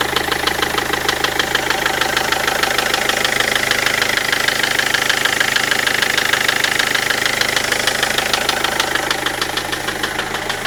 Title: Freelander TD4 engine knock.mp4